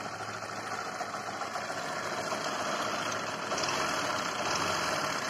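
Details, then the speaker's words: Bajaj Discover 100 motorcycle at idle, before repair: a loud, fast, uneven metallic clatter from the engine, about three or four per second. Worn timing chain; the fix is a timing chain change. "आप लोगों ने sound सुना इसका कितना ज्यादा engine जो sound बहुत ज्यादा कर रहा है इंजन में खड़-खड़ कर बहुत ज्यादा आवाज़ ए जाए"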